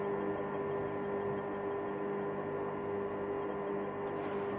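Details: Electrolux EHH 3920 BOK induction hob heating water on the small zone: a quiet, steady high-pitched hum with no buzzing or crackling, which is normal operation.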